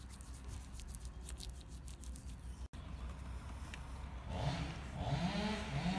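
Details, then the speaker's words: 25-year-old Honda Transalp 600 (PD06) on its first test ride after cleaning the brake pads and applying Plastilube to their backs: low engine and wind rumble, with no squeal when braking. "ja erste probefahrt mit dem plastik und der reinigung hinten drauf und was muss ich sagen keine geräusche hoffentlich bleibt es so"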